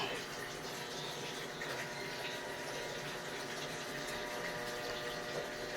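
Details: Automatic washing machine after board repair: steady hiss of water rushing into the tub with an even drone behind it; the fill valve works normally.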